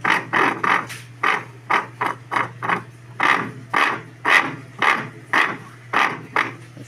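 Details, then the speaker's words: Electrolux washing machine running a cycle, also noisy during spin: repeated uneven scraping bursts, about two per second, each time the drive engages; the part under the cover with a gear is probably rubbing, a worn drive bearing grinding. "ó ela na verdade não era nem para est fazendo isso ó ó provavelmente tá roçada ali a aquela parte que ela tem uma engrenagem ali para embaixo dessa capa aqui"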